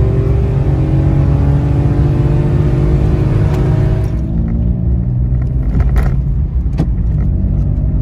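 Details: Citroen C1/107/Aygo small petrol engine with the removable DB killer baffle fitted in the repaired exhaust: revving with a deep, muffled, even note and no rasp or drone; properly quietened exhaust.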